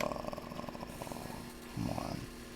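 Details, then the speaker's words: Apple II 5.25-inch floppy drive with a disk inserted, attempting to read: rough, rapid chattering grind in bursts and the disk does not read; drive judged bad. "turning it off turning it back on does it read even though it makes that ugly noise no it does not read"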